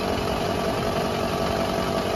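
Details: Lifted front wheel spinning in third gear off throttle: steady even single-pitch drone with spring-coil vibration; hub bearing, replaced about 3 years and 30,000 earlier, suspected worn, possibly non-original part or water ingress.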